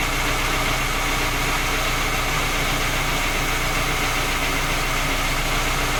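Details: Skoda Octavia A5 facelift 1.6 MPI at cold idle: fast, uneven tapping about three or four per second over the engine note; three repairs, fault not found, knock persists.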